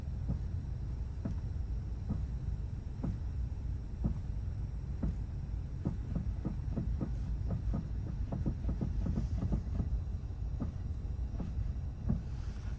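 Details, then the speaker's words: 2024 Lada Granta at 3,816 km, engine idling: sharp, dry knocks spaced out at first, then bunching as the steering wheel is turned; steering rack suspected, not confirmed. "Лада Гранта двадцать четвёртый год пробег 3816 руль когда вот так делаю звуки"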